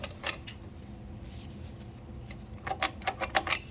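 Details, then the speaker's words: Removed non-OEM turbocharger from a Subaru Legacy with catastrophic turbo failure, spun by hand: loose, tinny jangle of metal clinks; the shaft is broken entirely internally. "Shaft's broke. Entirely. It's broke."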